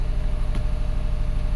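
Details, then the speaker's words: 2012 Subaru Forester SH, EJ255 turbo, after a blown oil hose, flashing check engine light: idling with a lumpy, uneven beat, a single-cylinder misfire heard at the exhaust. "The car is really missing. Let's go to the exhaust. Yeah, it feels like a single cylinder miss to me."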